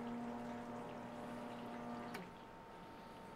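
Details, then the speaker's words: HVAC condensate pump test-run by holding it down, drawing 1.05 amps: small motor hums steadily, then cuts off cleanly with a short slurp as the reservoir empties; smooth, powerful, working normally. "and there it is and remember if we test the pump we can just hold it down and you hear it run out of water just let it off pretty smooth pretty powerful pump"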